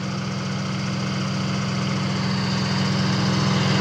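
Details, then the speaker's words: Semi truck diesel at idle, air compressor kicking in and out and reading near 195–200: steady even low rumble with no knocks, misses or rattles; engine sounds healthy, though coolant seen leaking from the water pump weep hole. "I mean, it sounds good and runs good. Yeah, I got Rob on the phone, guys. He's listening to it. He said it sounds good. Looks good and sounds good."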